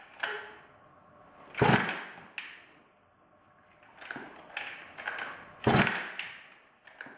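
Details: 110cc midsize off-road pocket bike unstarted for two years, key on, choke on, primed: two sharp pull-cord rips seconds apart, nothing catching; cranks but won't start, spark plug, coil and carburetor fuel supply to be checked.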